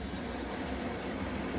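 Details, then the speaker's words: Well-water degasification system removing methane and H2S: water sprays into the degassing tank. Constant rushing hiss of water with a low rumble underneath; normal filling of the degassing tank. "And then we're going to hear water coming in. And we're going to be able to listen to the, kind of the violence of the system and how it works."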